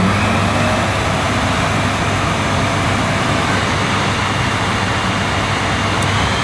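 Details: Panasonic MC-E862 cylinder vacuum, new-in-box, started on minimum power: steady, even rush of air over a smooth motor hum with no rattles or pitch wobble; nice bit of suction, normal running.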